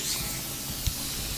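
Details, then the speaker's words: Central Pneumatic 3-gallon oilless air compressor: a steady high hiss of air escapes at a hose fitting installed without thread tape, and the gauge shows pressure dropping fairly quickly. Finding: air leak at the hose fitting, which adding thread tape should stop. "I have it hooked up here and as you can clearly see here you can even hear it there's air coming out of it that's because there's no threat tape on this which if I put threat tape on it I will no longer have that leak"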